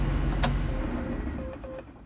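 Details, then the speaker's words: John Deere 8420 diesel after freeing a spring believed caught inside SCV number two: the rumble winds down gradually over a couple of seconds instead of cutting dead from pump pressure. Normal shutdown, and it later restarted easily. "now that's much slower that sounded much much better like it's supposed to sound"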